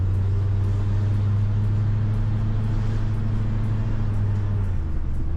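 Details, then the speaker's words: 1990 Ford F250, about 190,000 miles, automatic transmission, on a drive during restoration after thermostat and coolant work: even low drivetrain rumble, faint easing of tone near the end; shifts with no bang or slip, smoothest yet. "All right, I'm going to just hold it manually now, but that was the smoothest I have ever like felt and heard it shift."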